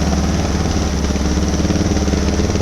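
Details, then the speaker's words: 2006 Suzuki DR650 with FMF header, slip-on exhaust, drilled airbox and carb slide, pilot jet changed from drilled 45 to 47.5, mixture screw fully in: even, steady single-cylinder idle thump with no misses; runs smoothly and seems happier. "I like it so far. Yeah, it seems a lot happier."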